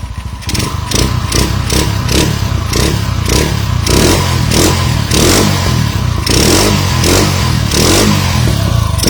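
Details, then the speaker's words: Honda CG110 single-cylinder rebuilt, bored to 125cc with 5-speed, first start before valve adjustment: loud rasping blips about twice a second with clatter, noise from carburetor intake; still needs valve setting and tuning. "ประมาณนี้นะครับมีเสียงดังชาวบ้านเขานะครับ"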